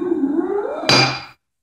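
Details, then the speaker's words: Enclosed-style bench vise, slide unlubricated and before painting: dry jaw slides with a buzzing, rising squeal from machine marks inside the main body, then stops with a ringing metal clunk; grease applied next. "can hear that that buzzing sound is from the machine marks on the inside of the the main body"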